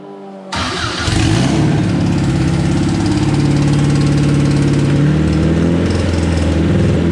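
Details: Race car first start-up on a base map, immobilizer disabled, throttle worked by hand, old fuel in the lines: it cranks, catches and runs unevenly, hunting before settling, struggling to stay running; O2 sensor needs disabling, plugs to be checked.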